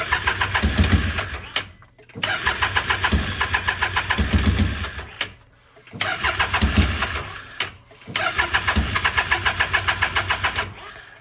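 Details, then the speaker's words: Can-Am X3 after smaller FP Green turbo install and MoTeC removal, wet fouled plugs cleaned and refitted, jumper battery: four long cranking bursts, three to four chugs a second, no firing; crank no start. "Put them back in, and we're still getting the same thing. It just cranks and won't fire."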